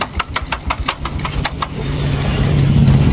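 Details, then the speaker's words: Honda Supra X125 carburetor motorcycle, engine just reassembled and revved. Quick sharp ticks, about six a second, sit over a smooth low idle and then fade into the run; a mechanical ticking noise from the case area, which this model is known for. "Kalau untuk Supra X125 ini terkenal sekali di bagian boknya sangat berisik, geber."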